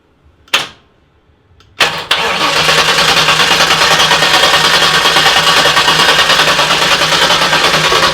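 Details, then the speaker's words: Newly built car with big turbo, first start attempt after jumping starter past suspect dash wiring: a click, then fast even cranking about three turns a second without firing; fuel pressure 50, seemed to lack spark, wiring problem. "okay well it's turning over so it's definitely a wiring problem"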